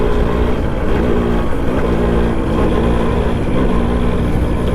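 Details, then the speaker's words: Suzuki Max100 two-stroke petrol motorcycle in a mileage test: uneven, stumbling exhaust beat with dropped firing pulses over road rumble, misfiring as fuel runs out. "Missing correct നമ്മുടെ petrol പമ്പിൻ്റെ മുന്നിൽ തന്നെ missing വന്ന്."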